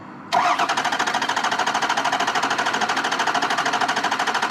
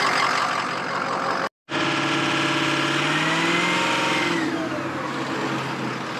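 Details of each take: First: 2003 Ford 6.0 Power Stroke diesel, recently new injectors, compression check by cranking: fast evenly spaced compression pulses with no dropouts, so no bad rings, valve or piston; normal even cranking, engine internally good. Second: 2003 Ford F-350 6.0 Power Stroke diesel, injectors, FICM and MAP sensor recently replaced, oil found bone dry: very rough, lumpy idle that is fine-ish cold and worse as it warms; cylinder 6 injector failing contribution test, causing a misfire.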